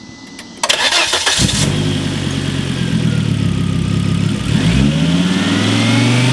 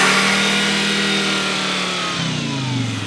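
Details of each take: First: Turbo Volvo S60 (big turbo upgrade) after plugging the mass airflow sensor back in: cranks, catches quickly, steady idle, revs cleanly; before, the vacuum leak/unplugged MAF made it run badly when revved. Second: Volvo S60 with a big turbo upgrade: revs stay high and stuck instead of dropping back, then wind down at shutdown. Vacuum leak, suspected from a brittle, crumbling throttle body gasket.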